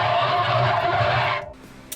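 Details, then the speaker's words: Boat's washing machine drum being spun gives a loud rubbing squeal that stops when the drum stops; after a load it nearly smoked and clothes smelled of rubber. Cause unclear; drum squeal when spinning. "It is extremely noisy. When you spin the drum, it's like, you can kind of hear it's something's like (squeaks) like really loud squeaking sound."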